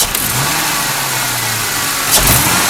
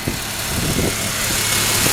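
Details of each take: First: 2001 Ford Mustang 3.8 V6 with manual gearbox, new EGR valve, wires and plugs, old coil pack tested OK: idles fine and takes gradual throttle fine, but a sudden hard stab makes it stumble, sputter and shake. Engine misfire under sudden hard throttle; no shop has diagnosed it. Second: 2001 Ford Mustang 3.8 V6 petrol, steady smooth idle with no stumbles, which is normal. It has a new EGR valve, wires and plugs and the old coil pack tested OK. It sputters only when the throttle is hit suddenly.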